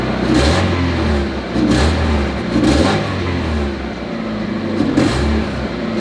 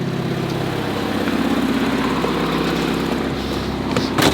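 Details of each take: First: Barn-find Miata not run in 3 years, started about 5 minutes ago and warming, no smoke, condensation at the tailpipe: revs rise and fall in even swells with light metallic chatter, likely valvetrain; quiet overall. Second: Barn-find Mazda Miata, not run for 3 years, idling after about 5 minutes warming, condensation at tailpipe but no smoke: steady even idle with light chatter over a low hum, no stumbles; running smoothly.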